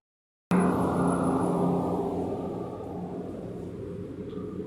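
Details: 2017 Chevrolet Onix LTZ 1.4 converted to CNG, after an engine noise was resolved: catches and settles into an even, quiet hum gently fading lower, no knocks or rattles; healthy idle.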